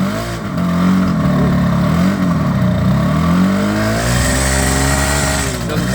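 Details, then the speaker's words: 1978 Kawasaki KH400 two-stroke triple after long storage, new spark plug fitted: uneven, lumpy note that blips and sags with throttle, running on two cylinders; suspected center carb not getting fuel, not confirmed. "we thought the new plug would do it but it didn't sound good so now we are going to look at the carb okay so we're trying to get to that Center carb which we think might not be getting fuel"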